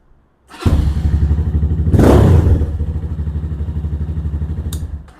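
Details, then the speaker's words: Venom Ghost Chopper 250 single-cylinder just after valve adjustment, cold start: fires instantly, one blip, then even thump around three beats a second; idles smooth and healthy. "Sounding excellent. [Music] I like the way that idles. That sounds so good."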